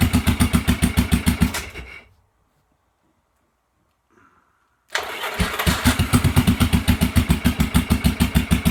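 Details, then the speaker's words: 1986 Yamaha XV750 Virago on a Gen1 KJS single-carb manifold, first cold start after winter. Uneven chuffing cuts out after the kill switch is hit, then catches with a sharp pop: backfire through the carb, may need retuning. "switch getting a little backfire through the carb here so might need to be retuned now"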